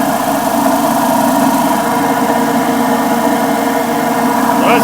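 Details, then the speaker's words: Giant GB3 vibratory tumbler with an added liquid tank, running with a loud, steady howl of layered tones; the top is loud while the bottom is quiet, so the worn upper bearing is blamed. "can hear it's very loud and it shouldn't be and what that is is the top Berry because we come down here to the bottom and it's awful quiet so much better down here um so I'm very certain it's this upper bearing"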